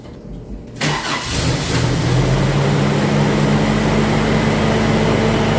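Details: 1990 Isuzu Trooper, 2.6 four-cylinder, 5-speed 4WD, first start after an engine reseal and EFI-to-carburetor swap: cranks and catches within a second, then settles into a slow, lazy idle that sits too low. Low idle, raised during initial tuning.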